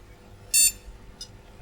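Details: Retro flea-market PC with both RAM sticks detected: single short, clean high-pitched beep in a quiet room. A normal POST before booting Windows XP.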